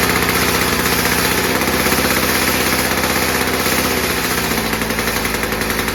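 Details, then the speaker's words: VICTA Tilt-A-Cut lawn edge trimmer, VICTA two-stroke engine, garage-sale find, new spark plug fitted; genuinely cold engine (muffler cool), 3 primes: starts first pull and settles into a steady, even popping idle with no dying or surging. Normal cold start. "She started first pull from an absolute cold start."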